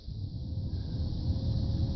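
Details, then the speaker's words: 2007 Chevy Aveo heater blower motor run by jumpering the relay harness: a smooth low hum builds and holds steady with no grinding or rattle; the fuses, relays and motor test good in one shot. "can hear my motor running for my blower so now I just tested my relays my fuse is my blower motor everything in one shot"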